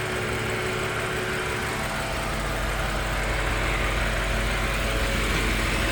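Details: 2022 BMW X6M Competition V8 at warm idle with a low rumble and a faint, loose pulsing noise of about three beats a second; it appears once the engine reaches 210 degrees, not when cold, and is loudest at the front. Cause unknown.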